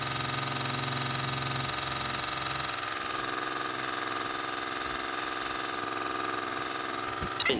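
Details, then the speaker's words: Nissan Z31: uneven lumpy stumbling idle, misfire from spark plug wires four and six swapped. "idiot you got the wires mixed up i got four and six spark plug wires mixed up"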